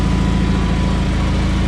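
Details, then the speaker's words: John Deere 317 lawn tractor after reassembly, on a test drive: a brief, even, low throbbing run with no misses or knocks. It had two intermittent shut-off backfires, and high-end rpm seems only about 3000 instead of 3450. Runs nicely overall. "no overall you know it runs really nice sounds like an own end so"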